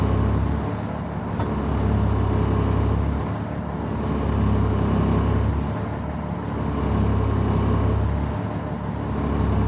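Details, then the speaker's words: 2003 Stewart & Stevenson M1078 diesel truck, cold start on a cold morning: steady deep idle with slow, gentle rises and falls every couple of seconds as the idle adjusts itself; normal cold idle. "You can hear the idle adjusting itself somewhat here."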